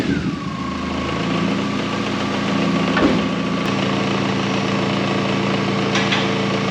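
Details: K11 Nissan Micra Super Turbo, car raised, engine running while alternator output is tested: steady, even idle with faint constant whine; alternator reads about 14 V at alternator and battery, charging normally.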